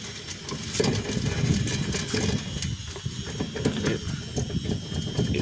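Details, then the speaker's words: 2010 Kia Soul rear wheel bearing, worsening popping, grinding sound while rocking car back and forth; uneven rattle, gritty grind and sharp clicks from badly worn bearing, to be replaced. "But since lately I've been getting a popping, grinding sound from the back and it gets really worse now, so I don't know, you guys can probably hear that."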